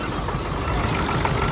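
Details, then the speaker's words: Ford 7.3 diesel Super Duty after injector O-ring replacement, first run in a year: uneven, lumpy clatter with irregular pulses and some smoke; rough idle, cause not yet known. "Little rough, little smoky."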